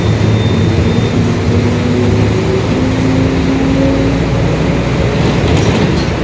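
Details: 2021 Marcopolo Torino S urban bus on Mercedes-Benz OF-1721 Bluetec 5 chassis, extended, driving: faint tones rise and fall with road speed under road and engine rumble. Differential whine, growling rear differential.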